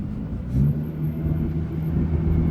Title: 2017 Nissan GTR screeching chirping sounds